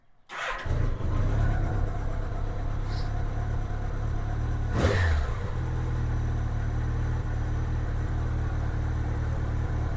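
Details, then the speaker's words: 1987 Honda GL1200 Goldwing after carburetor synchronization, no throttle: fires up quickly and settles to a smooth, even idle about 900–1,000 rpm, no popping or misses, returns to idle properly; normal idle. "Looks like it's idling right about 900 to 1,000. Probably about 1,000. Engine sounds really good. There's no popping, no problems. It returns back to idle the way it's supposed to."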